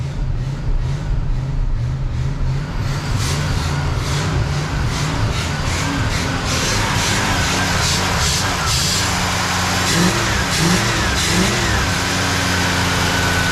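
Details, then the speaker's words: 1968 Cadillac Eldorado V8, sitting 20+ years, carburetor not cleaned: fires up and settles into a smooth, even idle, picks up cleanly on throttle blips, nice exhaust tone; healthy running. "Running just so smooth too. Unbelievable. Nice tone out of the exhaust."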